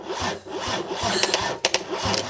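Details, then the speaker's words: Mercedes OM606 diesel sat unused for months, cranking after fitting a new Dieselmeken mechanical injection pump; slow rasping crank about twice a second, no start; burning smell follows, ground point suspected, not confirmed. "Katse 66. Oluliselt palju pavam."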